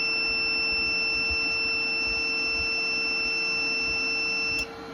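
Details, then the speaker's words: New replacement Renogy inverter/charger (updated model) switched on for the first time after wiring, remote connected; steady high-pitched tone about four and a half seconds then cleanly cuts off, a normal power-on signal. "So I'm gonna hit the on button and we're gonna see what happens. I also have the remote on, so it might not turn on yet. We'll see. Okay, it does turn on."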